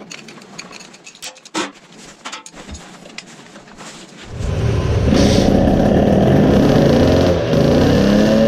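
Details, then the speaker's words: Tuned 20 hp moped two-stroke with a Chinese carburetor and a smaller main jet fitted; after a few knocks it catches into a loud, uneven burbling run at about four pulses a second, choking on too much fuel; the smaller jet did not help much. "so now when we start it we should get a sputtering concert it does sound like that too... this is how it sounds like when an engine suffocates from fuel smaller main jet did not help much repeating."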